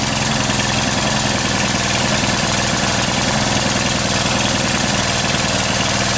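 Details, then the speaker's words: Brute Briggs and Stratton 550e pressure washer engine with main jet drilled oversize: loud, rough, lumpy idle, spraying fuel from carb; with air filter on it's not getting enough air, fuel-air mix wrong, running rich. "it's like it's not getting enough air now so the fuel air mix is wrong clearly there"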